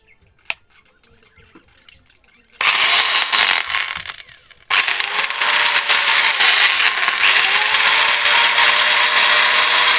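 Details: Cutter grinder machine after new bearings were fitted: after a quiet start the motor spins up to a steady, even high-pitched hum with no knocking or rattle, running smoothly.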